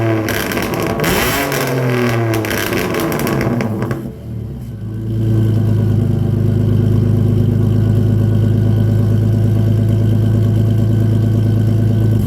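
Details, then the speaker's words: BMW E46 drift car after custom exhaust work with ovaled pipe near the bell housing: cranks and fires, revs briefly, then settles into a deep, steady idle with no rattles or misfires; normal start and idle. "So yeah, that turned out pretty good, I think, for his drift car exhaust. It is now time to start up this car and see what it sounds like."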